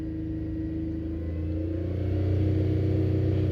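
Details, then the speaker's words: Small three-cylinder ticking over then revved slightly, with no misfire codes stored; uneven stumbling misfire occurs between about 2,000 and 4,000 rpm, rarer at 4,000, gone by 5,500; spark plugs just replaced, cause not pinned down. "right so between two to three and a half grand the misfires happened Oh No for four grand now and she's still happening but very very rare"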